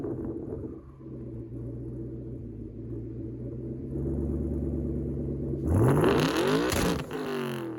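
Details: 2017 Mustang GT V8 with MSD two-step PN 87311, ground-activated via clutch switch: deep rumble climbs hard near the end and keeps revving with no limiter stutter; launch limiter not holding, faulty MSD module suspected.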